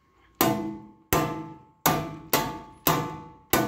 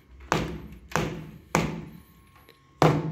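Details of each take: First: Bare sheet-metal test panel struck by hand without sound deadener: eight sharp strikes, each ringing with bell-like metallic tone that fades slowly, undamped panel resonance as in cars with audio but no insulation. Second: StP Gold sound deadener, 2.7 mm thick, applied to a sheet-metal test panel: four dull, short knocks that stop dead with no ringing after, a drier hit and zero panel vibration compared with the bare sheet.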